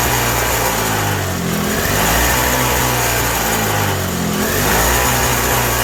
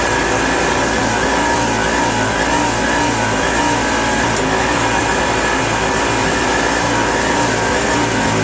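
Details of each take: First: 1987 Toro CCR 2000 snowblower in a cold shop, with a newly fitted replacement carburetor: it runs only on choke, its speed surging and sagging every couple of seconds, and turning the jet in or out changes nothing. Finding: running lean. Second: 1987 Toro CCR 2000 two-stroke snow blower after carburetor replacement, still cold: a steady, even two-stroke buzz holds smooth for several seconds, then winds down cleanly at shutdown. Normal, healthy running.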